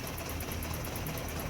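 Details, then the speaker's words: BMW E30 M10 engine, same shaking and no revving with both original and imitation parts and with new spark plugs; steady drone with uneven lumpy pulse, rough idle. Misfire. "Reaksinya sama juga getar enggak bisa digas."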